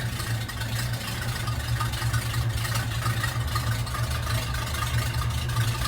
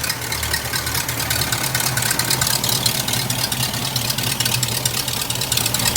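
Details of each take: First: Old hearse V8 with new exhaust, idling untouched while warming, oil pressure a little high: deep uneven, lumpy idle with stumbling pulses, owner unsure if power steering noise; rough idle from vacuum leak at collapsed PCV hose. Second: Old hearse after new full exhaust, 50-mile break-in oil change and PCV hose fix, slow to start: steady, quiet even idle with no ticking, hissing or stumbling; normal healthy idle.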